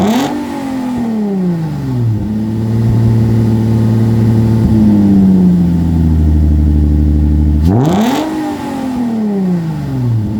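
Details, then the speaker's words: 2005 Infiniti G35 coupe petrol engine after sitting about a year: revs up smoothly, holds a high steady speed, drops back and rises again, even and clean with no knocks or misses; normal revving, check engine light still to be checked. "सब ठीक हो रहा है"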